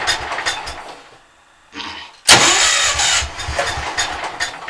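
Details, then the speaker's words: Cold engine cranked on starter in a closed shed, fine when warm; timing and valves set right per owner: uneven churning, lull, then sudden loud catch into rough run; hard cold starting, cause unknown. "it's fine when it's warm or warm out oh that starts loud when you're a nice and closed shed you got the starter it's like trying to start a traction engine or something"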